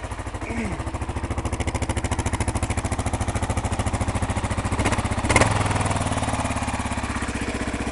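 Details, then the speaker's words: 2001 Kawasaki KLR 650 single-cylinder, still cold just after start, on choke; crisp evenly spaced thumps at slightly raised idle, steady and regular; healthy, burns no oil. "Choke off. Idle a little. Sounds very good. No problem with it."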